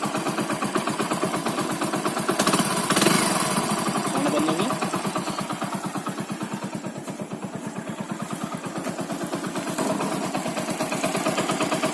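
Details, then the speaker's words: Bike single-cylinder engine after replacing the cylinder block and reassembling the head to cure piston noise: idles with an even, steady putter and no tapping or knock; normal running after repair. "अभी सारा साउंड सही हो गया। तो पिस्टन भी आवाज़ करता है इसका। देख रहे कोई साउंड नहीं है गाड़ी में, गाड़ी चल रही है।"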